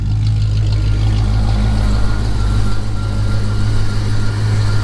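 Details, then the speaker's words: Foxbody Ford Mustang with Magnaflow exhausts, restarted after sitting for months with a dead battery: deep burbling idle with an uneven, lumpy beat right after start-up, running rough while it settles. "she didn't like that at all hmm kind of a rough start kind of a rough start but as you see she is running still sounds good with those magnaflow's"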